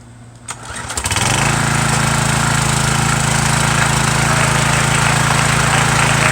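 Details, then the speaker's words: Small engine, little gas, throttle on turtle setting, owner unsure if something inside is broken: catches within a second of the pull and settles into a fast, steady, even run with no misses; normal start and run. "but uh show you it actually runs see if i got gas in it first though there's a little bit in there put it on the turtle turtle setting here uh i'll show you here that runs now"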